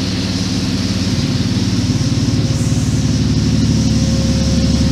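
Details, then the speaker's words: Renault 5 Maxi replica at its first start, warming up at 720 rpm with 66°C water temperature and radiator fans not yet connected: steady idle, deep exhaust pulses, fuel pump and water pump audible, no leaks, normal warm-up idle. "On entend bien la pompe à essence, la pompe à eau. Il n'y a pas de fuite, c'est cool."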